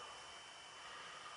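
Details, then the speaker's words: iBook G3 or PowerBook G4 powered on holding C to boot from a DVD: startup chime then soft steady whir with faint high whine as the optical drive spins up; normal, no scraping or clicking. "I can hear a chime and I can hear the CD spin up. Well, the DVD spin up."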